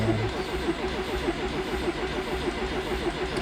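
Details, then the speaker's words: Classic Fiat 124 Sport Coupe with twin-cam engine and Weber 40 IDF carbs, stood 14 days in winter: cranking with fuel pump off until the oil pressure light shows oil has circulated; even, steady starter cranking with no firing, normal. "yeah that's enough the oil already went through all the passages so now it's okay to turn the fuel pump on"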